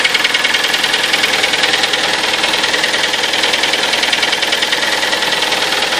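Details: Kia Sportage engine, 43,000 km, 4.5 years old, on Shell Helix Ultra 5W40: a sharp, even ticking knock at roughly three per second over a busy idle. An engine knock of unknown origin.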